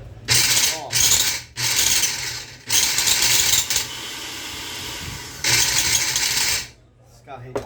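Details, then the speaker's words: Philips Walita food processor running with harsh high-pitched grinding in bursts; gears dry of grease, fixed by cleaning and lubrication. "tá com uma zuadinha feia eu acho que é falta de lubrificação nas carretas dele"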